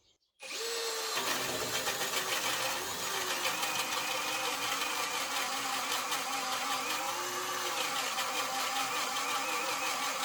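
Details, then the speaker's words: Narex CSP 12-2 Basic cordless hammer drill on a full 4Ah 20V battery, boring a 65mm hole in spruce: labours with a harsh, uneven rattle and clicking over the motor whine; gear damage is suspected but not confirmed. "mais en général la transmission reste un peu bruyante , donc il y a des cliquetis"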